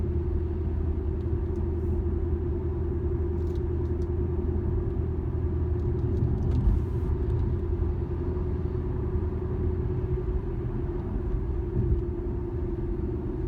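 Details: 2013 Infiniti G37S coupe, steady low cabin drone while cruising straight, starting around 30 mph and worsening at 50-55 mph; dealer blamed tires, owner doubts it; cause unconfirmed.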